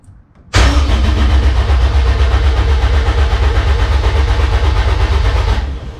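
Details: K20-swapped DC2 Integra racecar, first-start prep: ECU-controlled 5-second crank cycle with no firing to build oil pressure in a likely dry oil pump; strong, even starter cranking with steady low thumping compressions; engine turns over healthily.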